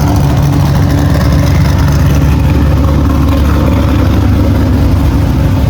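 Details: Cadillac CTS-V V8 drift car after exhaust repair and realignment to exit out the back: deep, steady V8 rumble at idle with no puffing or ticking, normal exhaust note; cabin much quieter.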